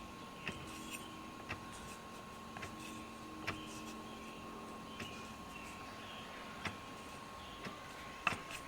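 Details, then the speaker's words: Dodge Charger SRT8, on ramps, handbrake on, axles still: dull thumping knocks inside the housing as the pinion flange is rocked through about a quarter inch of play after installing a Wavetrac differential; bumps on drive-reverse shifts. "that's no movement in the axles the axles are staying still and you can hear that thumping inside the housing when it does that"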